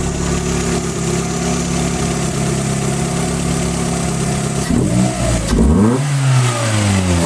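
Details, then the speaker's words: Car #92 after advancing ignition timing: idles evenly then revs cleanly through the range; the stumble just before 3000 rpm that existed before is now gone, engine sounds strong and healthy. "until right before 3000rpm it would sugar a bit and now it's completely gone and it sounds awesome"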